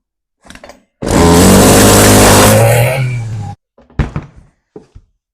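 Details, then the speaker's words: Stihl FS40C trimmer after fitting a new, properly gapped NGK CMR6H spark plug in place of the oily, carbon-fouled one: catches on the first pull and runs at a high buzz briefly; normal start. "Well, I wasn't expecting it to start like that."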